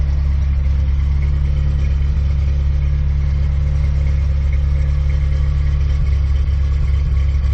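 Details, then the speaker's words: Steady, even low rumble at constant speed with no misses or knocks from an '87 Ford Ranger, on old gas, after reassembly and adding water; engine running normally. "okay all right we got it all back together now we got water in it let's fire up and see how she does"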